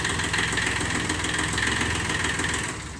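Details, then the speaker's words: Kubota three-cylinder diesel micro-tractor, long stored in a garage: steady, even idle clatter with a firm, regular beat and no knocks or misses; runs impeccably, better than new. "Ah, il tourne impeccable. Eh. Ah, il tournait bien le son. Il tourne mieux qu'un neuf."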